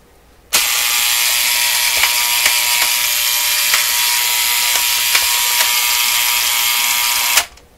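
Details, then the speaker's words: Vintage vacuum tube AM clock radio, make unknown, clock reading about 3:30 with the alarm set to noon: a loud, continuous high-pitched buzz for about seven seconds, then it cuts off. The alarm buzzer is sounding; the clock is working. "Not going to be fun listening to this radio unless I can get rid of this alarm."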